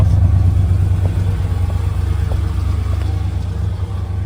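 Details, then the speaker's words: Ford F-150 (OBS), started after three key cycles to run the fuel pump: it idles normally, then on a throttle blip misses and falls into a lumpy, rough idle. It is worse under load, in drive or reverse. The cause is unconfirmed. "As soon as I hit the gas, well, it didn't want to do it. There it goes. You hear that miss and then it just goes and idles rough."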